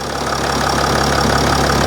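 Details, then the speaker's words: Mercedes ML350 salvage rebuild, engine recently brought back to running, air suspension now working: even, steady idle with a smooth hum and no knocks or misses, sounding healthy. Normal idle. "oh sweet someone's sweeter than up sounds sweet i'm glad that suspension's working"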